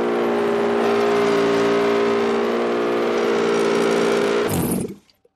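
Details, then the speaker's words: Toyota 2GR-FE V6 bench-fired on the shop floor for an MR2 swap, on a Sienna ECU with immobilizer removed, not yet tuned: catches and holds a steady, clean idle about four seconds, then shuts off; runs smoothly. "well there's the answer I got rid of the immobilizer on the Siena ECU I just need to make it tune for it now"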